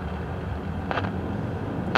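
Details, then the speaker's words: 1956 CBS 5-tube AM clock radio, volume wide open, no station: low hiss broken by sharp crackling bursts; volume control reduces the static so not the audio output stage; suspected silver mica disease in the IF cans. "okay so the volume control regulates the static we can turn the static down so we know it's not in the uh audio output stage"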